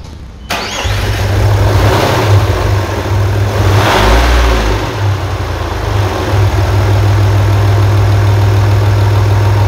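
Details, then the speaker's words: 1998 Audi A4 2.5 TDI (AFB engine) after a timing belt and water pump replacement, done because of a coolant leak from a holed water pipe: a quick crank fires straight away, brief rev, then an even, steady diesel idle with no knocks; it starts normally. "y nada que veáis como el coche arranca perfectamente después de hacer toda esta distribución con la del desmontaje de la bomba porque tenía un tubo picado de agua etcétera etcétera vale vamos a arrancarlo para que lo veáis"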